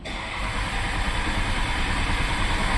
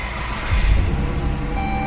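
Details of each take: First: 2012 Dodge Caravan cranks steadily at about three pulses a second but won't start: replacement engine control module lacks the matching VIN, so the security light stays on; fix is writing the VIN to the module with a scan tool. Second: 2012 Dodge Caravan, cold engine, after wiring repair at engine coolant temperature sensor connector and VIN entry clearing security lamp: deep rumble catches about half a second in and settles into steady cold idle; starts normally, check engine and traction lights on.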